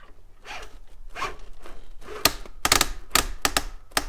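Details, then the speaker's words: Axial SCX10.3 RC truck (Jeep build) with stock transmission, owner suspects slipping: rapid bursts of sharp ratcheting clicks come and go when the drivetrain binds up in rocks under load; cause suspected, not confirmed. "Yeah, you get binded up in some rocks right there, it'll start doing that."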